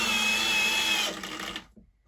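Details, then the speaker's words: Milwaukee Gen 3 hammer drill/driver on a fully charged battery, driving a screw: high steady motor whine, then a brief rough rattle as the clutch slips out at the torque limit just before the screw head seats. "and you can hear that clutch right there at the end so it didn't quite didn't quite get it uh tight to the actual head there"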